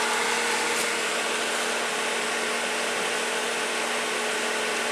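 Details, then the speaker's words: Whisper Flow variable-speed pool pump at top speed four: smooth whir, steady low hum and airy cooling-fan rush, no knocks or grinding; much quieter than a traditional pump, normal running. "still much much quieter than a traditional pump and again at the highest speed setting speed four"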